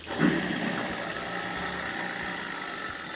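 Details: New half-horsepower garbage disposer after installation and leak test: brief start-up surge settles into a steady, even whirr with no grinding or rattle; motor runs smoothly.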